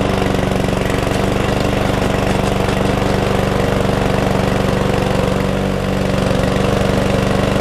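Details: Cheap single-cylinder mower that would not stay running (suspected fuel issue), after the tank was flushed, the carb cleaned and excess oil drained: a steady, even putter with no surging, hunting or dying out.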